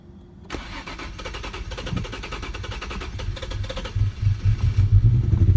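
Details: 2007 Infiniti G35, cold start only: starter churns the engine over rough and uneven with deep rumbling but it never catches; after that it starts normally on the first try.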